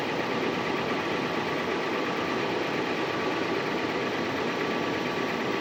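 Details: 2016 Toyota 4Runner at idle: loud, steady, rapid diesel-like knocking with an even beat over the engine at lower rpm; source of knock undetermined, owner asking for ideas.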